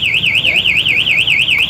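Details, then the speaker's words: MP One Way motorcycle alarm, armed with the lock button so moving or tampering triggers it: loud piercing siren warbling up and down about four times a second; the bike cannot be started while it sounds. "Kalau dibobol, kalau ada yang bobol dia bunyinya keras. Kalau ada yang bobol bunyinya keras ini."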